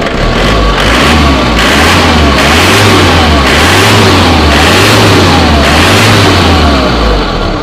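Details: Isuzu Panther engine after retightening the alternator mounting bolts: repeated throttle blips rise and fall smoothly with no squeal or chirp from the belts; music plays over it.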